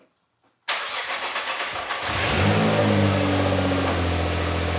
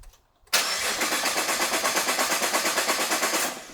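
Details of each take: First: Rebuilt 2014 Nissan GT-R, first start after repairing fuel leak, expected sluggish while rebuilding fuel pressure: cranks about a second, catches, smooth even idle, no stumble or knock; no seeping or fuel smell found. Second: Rebuilt 2014 Nissan GT-R, fuel pumps disconnected from power to depressurize lines before fixing a fuel leak: starter cranks evenly, about three pulses a second, for three seconds without firing; no fuel delivery.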